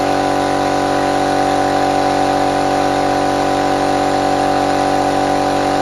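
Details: Restored compressor fired up for the first time after refurbishment, no water trap fitted yet: steady even motor hum with a smooth pumping beat of about two per second and no knocks; normal running.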